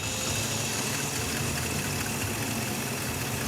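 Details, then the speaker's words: 1953 Packard after adjusting hydraulic lifters, previously stalling when shifted: low, even idle with a soft steady murmur, no misses or knocks; purrs smoothly and no longer stalls in gear. "yeah there we go oh she's starting to purr look at that throw it and gear see how it feels sounds pretty good yeah it's not stalling out when we shift like before was stalling"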